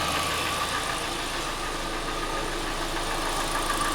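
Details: Hyundai i40 / Kia Sportage 2.0 G4NA (also G4KD) engine at steady idle, checked by endoscope: dull knock about four times a second under the engine drone, piston slap from scored cylinders.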